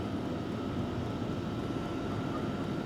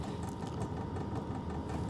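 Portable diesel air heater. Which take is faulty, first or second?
second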